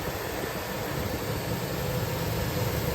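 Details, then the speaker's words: GMC Yukon after fuel injector replacement, fuel pump relay reinstalled: steady, even low idle rumble without stumbles or skipped beats; idle better than before, no fuel leaks, running smoothly. "Idle sounds a little better. Maybe uh that whole bank number three I know was having trouble. Sounds pretty good. No leaks."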